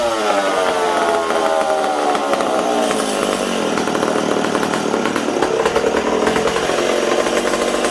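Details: McCulloch Super Pro 70 chainsaw running on the bench: revs hunt up and down, sagging then climbing instead of a steady idle; intake air leak suspected after stumbling when sprayed near the intake boot, possibly fuel petcock leaking.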